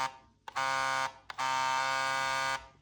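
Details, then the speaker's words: Xbox Elite Series 2 controller bought new, trigger motors vibrated individually from settings: two short bursts of harsh buzzy plasticky rattle, far louder than a smooth hum; trigger rumble motor rattling. "And if we head over to configure in order to vibrate each part of the controller individually, vibration, here's the left trigger, sorry, that's the left one, and that's the right one."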